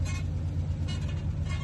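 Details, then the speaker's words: 1945 M-5H-6 truck crawling, deep engine rumble with a faint high squeak about every 0.7 s: a leftover piece of 4-inch angle-iron frame reinforcement rubbing against the cab. "That's a leftover remnant of the truck's former life. They had reinforced the entire frame with 4-inch angle iron, and I got all of it off except one little piece, and it rubs against the cab, so that's that really annoying squeaking sound."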